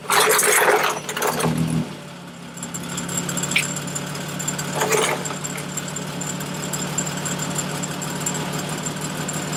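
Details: 2003 Winnebago Rialta engine cranks and settles into a smooth, steady idle after repairing an exhaust leak; no ticking or puffing from the exhaust.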